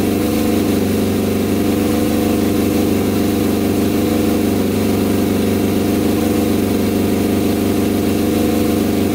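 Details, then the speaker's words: Custom 100 hp Yamaha Banshee two-stroke quad, first run after tuning with the tank filled: steady crackling idle with crisp, clean revs that climb high and drop back. It runs strong and even. "huh all right this thing sounds insane oh my god this thing is going to fly you guys hear that thing holy cow i'm really scared to ride this thing oh my that is just insane oh man that revs up so high too"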